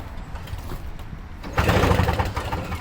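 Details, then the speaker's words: Toro Snow Commander two-stroke snow thrower tried with brake cleaner sprayed in; the owner suspects it may be flooded. A pull, then a second of ragged sputtering pops that never catch; cranks but fails to start. "oh it sounds like i wanted to do something i don't know if i shredded it before it sounds like it wants to do something"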